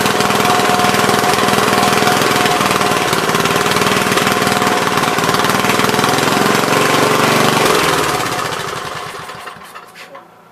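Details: Troy-Bilt tiller, parked long, running after a bad spark plug was replaced: steady, even fast popping for about eight seconds, then winding down at shutdown; runs healthy.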